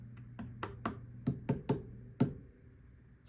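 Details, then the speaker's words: 1964 Fender Bassman 6G6 amp, unplayed since 1992, weak bass channel and noise, 400 Hz test signal: chassis taps make a low mains buzz cut in and out; intermittent buzz, suspected tube socket problem. "intermittent buzzing that can be instigated via tapping, so maybe a tube socket thing. We'll get in there and find out."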